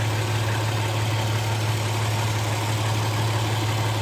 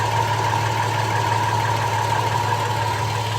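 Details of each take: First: 2007 Toyota Tacoma 4.0 1GR-FE, 240,000 miles, idling, heard at the passenger-side catalytic converter: steady, low, even hum with no knocking or ticking, unlike the driver side where the owner suspects piston slap. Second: 2007 Toyota Tacoma 4.0L 1GR-FE V6, 240,000 miles, synthetic oil: light uneven knock about three per second at idle, starting 2–3 minutes into warm-up and fading once fully warm. Louder near driver-side catalytic converter after oxygen sensor; owner suspects piston slap, unconfirmed.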